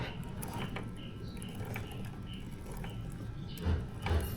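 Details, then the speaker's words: Suzuki GSX-S150 motorcycle chain and sprocket after first cleaning pass (not yet rinsed) during periodic maintenance; quiet chain run with only a faint occasional tick, the clicking noise from the chain/sprocket nearly gone; normal chain drive. "Ayan as you can see nabawasan na 'yung lagutok or halos nawala na."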